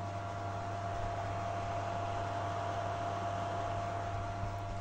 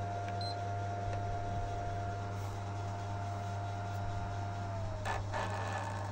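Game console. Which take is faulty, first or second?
second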